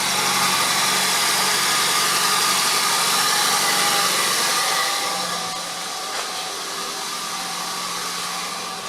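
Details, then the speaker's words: 2001 Nissan Sentra, first start after installing a new in-tank fuel pump assembly, fuel almost empty: steady, even idle with constant hum, no misses or knocks; runs healthy, though the fuel level monitor was inoperative. "although the car starts and runs the fuel level monitor was inoperative"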